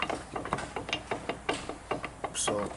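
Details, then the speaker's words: Chevy Silverado 2500HD snow plow truck: sharp metallic clicks and clunks as the driveshaft is rocked by hand, from a bad universal joint; both pitman arms are also bad. "also he got a bad universal joint here right here that's not good"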